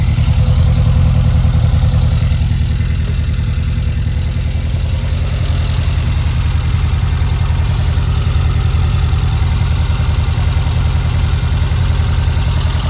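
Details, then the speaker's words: 1952 VW Split bus, engine upgraded from 1641cc to 1904cc stroker, first start after install and exhaust welding: even throaty air-cooled flat-four idle, steady low pulse, no tapping or misses; sounds healthy, valve adjustment planned later. "Good. Wow. Looks good. Awesome. It sounds good."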